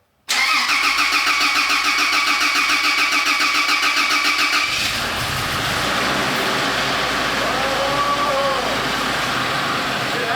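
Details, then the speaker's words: 1993 Toyota Land Cruiser 80, first start of the rebuilt newly installed engine: steady cranking for about four seconds, then it fires and settles into an even, smooth idle with no knocks or misses. "thing sounds [Applause] perfect"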